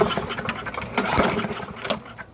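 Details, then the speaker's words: Walk-behind lawn mower small engine during Seafoam treatment poured into the carburettor: repeated pull-cord cranking bursts with brief coughs that never catch; won't start, likely flooded. "all right so it doesn't want to start"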